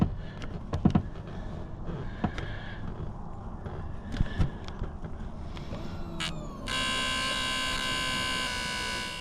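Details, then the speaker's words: 1996 Toyota 4Runner bought not running: steady high electric hum of the fuel pump switching on and priming the system after the fuel lines were flushed. "I can't see it, but I can hear it. Hell yeah."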